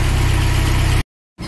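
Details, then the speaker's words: 1996 Nissan Hardbody pickup, carbureted Z24 four-cylinder, after a successful carburetor overhaul. A brief steady low idle with an even pulse before a cutout; it runs smoothly. "but the most important thing it was running now with the surrounding time and it was successful that they were holding the carburetor was successfully done"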